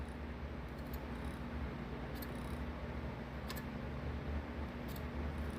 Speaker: there's a crazy clicking sound when that thing spins